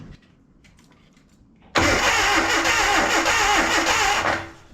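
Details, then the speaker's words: Abandoned Datsun 720 King Cab 4x4, starter reinstalled after flywheel check showed rust but no broken teeth. Brief crank, then the engine catches and runs rough with metallic clanging. Owner unsure whether the clanging is timing-related. "what I can't tell is if that that clanging is related to the timing"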